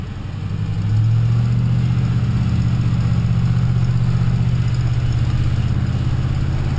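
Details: 2004 Ford F150 5.4L 3V Triton V8, brake-torqued under load: rapid rough ticking over the drone, worst in four years of ownership, louder accelerating or lugging; first suspected cam phaser, actually a broken exhaust header bolt.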